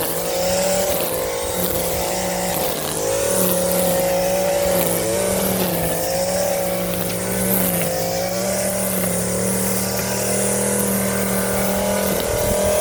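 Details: Stihl FS 56 RC two-stroke trimmer after a wrong 20:1 fuel mix, with muffler screen and spark plug cleaned: a high buzzing note holds a steady pitch with small rises and dips under throttle and no misfire; running cleanly.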